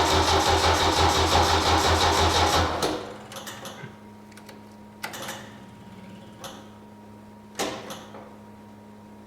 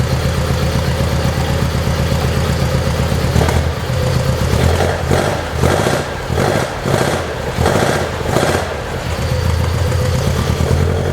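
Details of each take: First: 1972 Saab Sonett, start attempt with battery flat and fuel low (fuel pump audible): after a burst of noise only scattered single starter clicks, no cranking; starter clicking, no start from flat battery. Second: 1972 Saab Sonett in a garage, engine reportedly overhauled by previous owner, unstarted for a couple of months and boost-started: steady even idle with a few clean throttle blips, settling back smoothly; sounds healthy.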